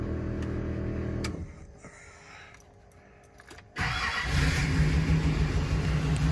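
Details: Duramax diesel from the Killin It mega truck, fired up for diagnosis after engine failure, oil found around it: brief crank, then fires into a lumpy, uneven idle; compression test shows one dead cylinder with zero compression.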